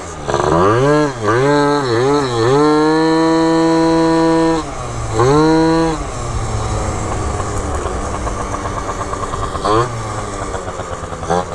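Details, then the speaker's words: Malaguti F12 70cc two-stroke scooter after needle clip adjustment, test riding: buzzy engine rises and sags, never climbing cleanly to high revs; lacks top-end, possibly lean; cylinder later seized. "still feeling super off right now it doesn't ever feel like it has a climb to it it sounds like it's a little lean right now"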